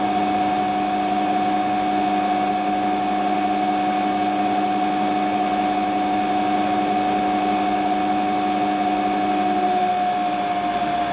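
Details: Hotpoint Ultima WT960 washing machine (7kg), test spin after repair with brand new replacement drive belt: steady even hum, constant motor whine, no knocking, rubbing or slapping. Normal spin.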